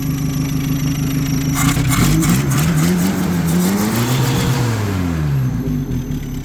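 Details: 1976 Toyota Hilux Chinook with a 20R engine, after a mouse nest was cleared from the clogged exhaust; it picks up cleanly and drops back smoothly through blips without stumbling or popping, which is healthy, free revving.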